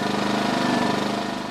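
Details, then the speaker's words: 2010 Champion 2000W generator after a carburetor jet cleaning, econo mode, choke in, with heater load raised to 1500 watts. Quick, even firing pulses at steady speed with no surging, easing slightly at the end. Normal running under load. "So it went from basically really hard to start and would only run with the choke full out, and now she's purring along nice, choke in on econo mode."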